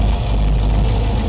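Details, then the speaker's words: Small-block Chevy V8 in a 1932 Ford Coupe, idling with valve covers off during valve adjustment: light quick ticking clatter in time with the engine over low rumble from loose valve lash at the rockers; valve train clatter. "Okay, so you can hear a little bit of clatter. So I just always start at one end and work my way down."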